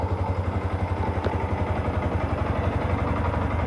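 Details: Yamaha R15, about 10 years old, engine never opened, after first oil change in about 5 years (only ~100 cc old oil left), new oil: even thumping idle about four beats a second, no clatter or rattle; smoother, normal idle.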